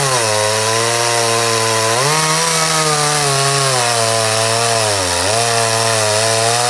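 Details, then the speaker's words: Stihl MS 211 chainsaw (2012), which previously would not run when warm, making test cuts after carburetor cleaning; high two-stroke buzz dips under load in the cut and climbs back, clean and responsive, normal running. "wir werden jetzt die ganzen Sachen wieder montieren und dann werden wir die Säge draußen mal testen ob die auch läuft"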